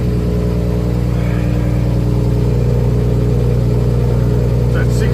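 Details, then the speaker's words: Nissan RB25 on E85 with small camshafts and a programmable aftermarket ECU, with no idle control valve. First cold start of the day, engine temperature reading 15°: steady, even low idle with no misses or knocks. "That is literally first start, first crank for the day. We haven't started it. Computers are 15°."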